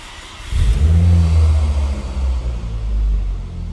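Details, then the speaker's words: Ford Focus ST 225, already run two minutes earlier, started just after fitting a large-volume intercooler and front lower wishbone, gauges attached: the engine catches cleanly and pulls up through smooth blips, settling evenly with no misfire or rattle. "Maintenant on va faire la mise en route. On va écouter le... Si c'était une Peugeot, je dirais le lion rugir."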